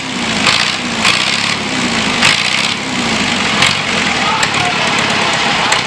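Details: John Deere 2640 diesel tractor revived after sitting for years, new battery fitted: loud rough open-pipe clatter with no muffler, running steadily and firing cleanly on all cylinders; normal diesel running.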